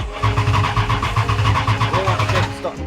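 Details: 1941 Dodge 3-window coupe hot rod with Mopar 440 big-block V8, first start: even cranking pulses about two seconds, then catches and settles cleanly with no knocks or misses; normal cranking and start.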